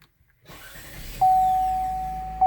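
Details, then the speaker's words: 2016-2018 GM 1.5L (Malibu/Cruze/Equinox) after fitting a Duralast replacement starter, recorded inside with windows open: sharp steady mid-pitched zing rises before the engine catches and briefly after, twice; the new starter whines while spinning. "like zing you can hear it zing up before it even actually starts starting the car and then it zings makes like a zing sound a little bit after"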